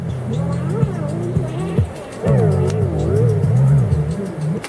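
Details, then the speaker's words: Sanyo RD-W41 cassette deck playback with Dolby on: pitch sags and swoops instead of holding steady, a warble from slipping, worn drive belts; recording itself sounds good with high end intact. Wow and flutter from worn belt. "oh man these belts are going well that's what a bad belt sounds like"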